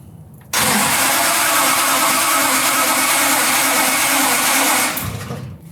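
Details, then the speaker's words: Fake 1969 Dodge Charger Daytona carbureted engine on choke, slightly flooded: cranks and fires unevenly, roaring and stumbling about four seconds before cutting out; hard starting, fouled plugs suspected. "tle flood you flooded it I can smell it from here too"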